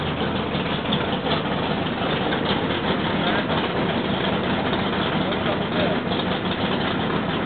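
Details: Rebuilt L88 427 Chevy V8 from a '66 Chevy II, hydraulic roller cam, aluminum heads, 9.6:1 compression, start-up on the stand: steady, lumpy idle with an even beat and no knocks or ticks; healthy.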